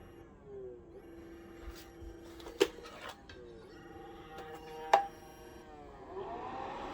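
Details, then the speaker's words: Optoma EH341 DLP projector at power-on: quiet uneven stepped whirring and two sharp clicks with no steady spin; the failing color wheel cannot come up to speed and the unit goes into shutdown error. "That's the color wheel. Color wheel's trying to start, it can't, and it's then going into shutdown / error."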